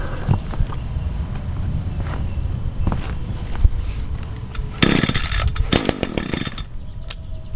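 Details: Echo SRM 225 two-stroke string trimmer, about two years old, cold start after a week unused, on choke with about 5 primes: fires and settles into steady buzzing idle with brief blips; starts easily, runs cleanly.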